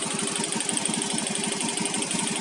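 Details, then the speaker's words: Automatic scooter, owner's own: a light, fast knock ticks steadily with the running engine; first suspected worn rollers, but the rollers are still good, and the cause is a loose spark plug cap. "Ternyata di bagian sini ya, di kop businya ini ada yang kendor. Lihat nih, ada yang kendor nih di bagian sini ya. Itu timbulnya suara kotok itu ya, tek."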